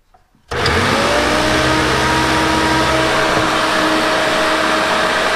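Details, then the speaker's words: Vacuum cleaner fan motor after repair, a missing washer refitted that had let the motor lock up: steady, even whir of constant pitch with no grinding or scraping; normal run. "that sounds pretty good you know it's not grinding it's not shooting sparks out of it I'm confident it's fixed at this time"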